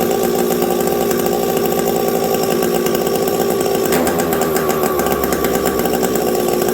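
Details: Husqvarna 372XP chainsaw with a new UFO pipe, otherwise stock, run in very cold winter conditions. The high buzzing briefly falters then carries on: a lean low-speed jet stumble, not caused by the pipe.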